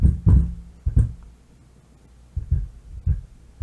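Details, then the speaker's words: Miller & Kreisel MX-90 subwoofer amp, inputs and speaker disconnected, level at minimum: low rumble with irregular deep thumps and crackling; defective bass level pot, replaced to fix. "and i do hear something it is making a low rumble almost like a crackling sound"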